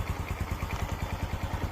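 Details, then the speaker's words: Honda Dream 125 engine that had a loud clattering cam chain, idling with the faulty cam chain tensioner held in by hand: soft, even idle pulses about ten a second, no chain rattle, noticeably quiet. "ลองสตาร์ทครับชึบอ่านี่สังเกตมั้ยครับรอบSLโลวเงียบเลย"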